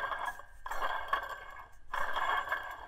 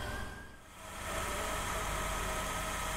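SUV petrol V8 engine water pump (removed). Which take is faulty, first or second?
first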